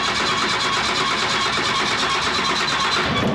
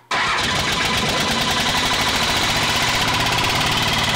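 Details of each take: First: 5.9 Cummins 12v diesel swapped into Studebaker Transtar, first start after sitting: hard-running diesel with fast even ticking chatter over a loud hiss; noisy vacuum pump needing attention. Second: 5.9 Cummins 12v diesel in Studebaker Transtar just after first start, dirty old diesel in injection pump despite new fuel and conditioner: steady, even tractor-like clatter; healthy diesel idle.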